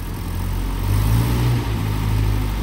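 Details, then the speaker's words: Land Rover Series short-wheelbase 2¼ petrol engine just reassembled after valve stem seal replacement and valve overhaul, with new thermostat and carburettor refitted: deep, even note rising gently with a light rev and settling, no knocks or ticks; normal running, owner pleased. "now they're not fast Vehicles these and obviously we won't drive it fast anyway but um pleased with how that sounds sounds nice"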